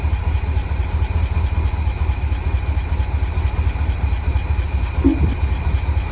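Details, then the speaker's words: International Harvester Loadstar crew cab, parked 30 years, first run with a deep, steady V8 idle, slight shake and an occasional tick or doink with a stumble. The owner suspects something under the valve cover backfiring slightly, or manifold leakage; unconfirmed. "huh that is some interesting sound I don't know what it is well it sounds like it's under a hidden valve cover or something backfiring slightly if to stumble whenever it does it"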